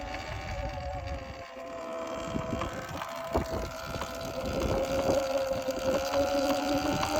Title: Sur-Ron knocking sound